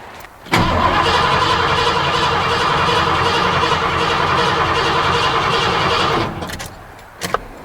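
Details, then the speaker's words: 1986 Ford F-150 5.0 L after adding fuel: starter spins the engine at a steady quick rhythm for about six seconds but it never fires; cranks, no start, so not just low fuel. "it's not doing anything we clearly have a different issue it's not just uh low fuel or the fact that there was no fuel in the tanks"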